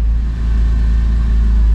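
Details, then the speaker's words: 2002 Porsche 911 C4 (996), 122,4xx miles, easy low-speed neighborhood drive after front control arm replacement: only steady road rumble, no knocks or clunks. The long-standing slow-speed front clunk is gone or much improved. "So good, I don't hear it. It's definitely improved."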